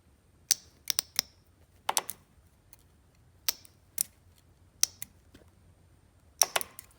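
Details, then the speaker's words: Fuel injector removed from a 1995 Ford F350 7.3 diesel, bench-tested with 12 V via alligator clips: crisp, snappy solenoid clicks each time power touches the terminals, quiet background; the injector is good. "These run off 12 volts, so you put the little alligator clip in there and you touch them like that. Make sure they're separate. You hear that?"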